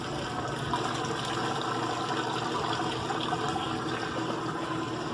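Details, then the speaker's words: Old Kenmore top-load washer after a new lid switch, lid down on the drain setting: a soft, continuous rush of water with a faint motor hum as the pump drains steadily. Normal operation; opening the lid stops it. "See, now you can hear it pumping the water out. You can see there."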